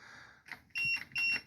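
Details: Cub Cadet 3204 Yanmar diesel mower, cold start after sitting three or four months: the jump starter gives three short high-pitched beeps about 0.4 seconds apart during cranking, raising a warning, cause unclear.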